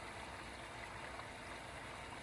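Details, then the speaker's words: MKV Toyota Supra interchiller coolant loop after topping up with HT12 and distilled water mix, pump running while filling: quiet, steady, smooth rushing flow with no bubbling or splashing, air bled out, normal coolant flow. "Doesn't sound all bubbly and like liquid just splashing in."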